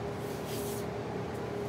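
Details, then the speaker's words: Mid-1970s Lakewood Country Aire P23 box fan, metal blades and cabinet, oiled and run daily since Monday, on medium speed: steady soft motor whistle over a low even hum, no rattles; normal, quieter than other fans. "It's a lot more quieter than a lot of my other portable fans, but yet it moves a lot of air. You can probably hear a whistling noise from the motor,"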